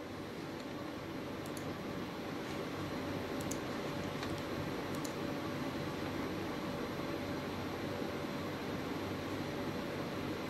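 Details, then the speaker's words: Custom PC with i7-9700F and RTX 3060 Ventus on a radiator cooler, under load: quiet, steady airy fan rush with a faint constant pump hum and no rattles or gurgling; decent heat off the radiator shows the pump working and good CPU contact. Normal pump and fan operation. "there's quite quite a decent amount of heat coming off the radiator which is good indicates to me that the pump is working good"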